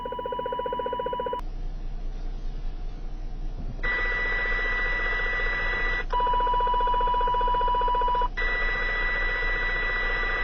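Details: CB radio near a neighbour's house, interference centred on channel 29 bleeding onto 28 and 30, possibly a plant grow light: steady pulsing buzz with high whistle cutting in and out over hiss; pulsing RF interference.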